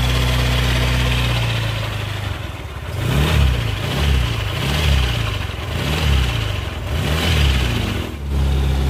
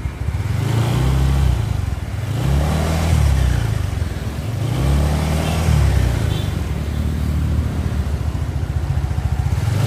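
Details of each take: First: Suzuki Nex scooter: smooth at idle, then a rough growl from the CVT area rises whenever the throttle is opened; worn CVT and final-drive bearings. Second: Suzuki Nex scooter after replacing the CVT pulley bearing: throttle blips then steady, smooth even drone; the former rough growling and crackling from the CVT on acceleration is gone.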